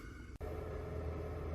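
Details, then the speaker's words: Travel trailer RV with newly installed replacement power converter: a brief click, then a quiet steady low hum holding evenly; converter running normally and charging the batteries. "Oh, what a wonderful sound. I can hear that thing humming again. And I went out and checked, and it is definitely charging the batteries."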